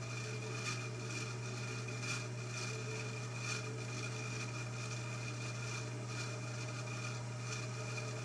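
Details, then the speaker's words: 1948 ILG model 213 exhaust fan, rewired, first run on low speed: quiet steady hum with faint blade whoosh, no knock or rattle; low speed runs smooth, unlike the poor-sounding high speed. "i did notice that low speed did run really smooth"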